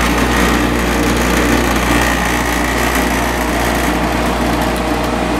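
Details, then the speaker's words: Vintage Coronado 5,000 BTU air conditioner with a Copeland reciprocating compressor, fan motor just oiled: steady humming buzz with a rough shake right at compressor start-up that eases after a few seconds, then runs smoother and cools. "Bit of vibration at first, but that really diminishes after a few seconds. And then it gets nice and smooth."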